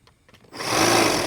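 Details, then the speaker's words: Husqvarna 536LiHD60X battery hedge trimmer after the handle safety switch fix: a quiet click, then a steady high motor buzz with even blade motion, no red warning light; working normally. "so let's turn it on over here we do not want to see a red light which is normal operation so you should be able to go like this straight up and it works off to the side and it works over here on the other side"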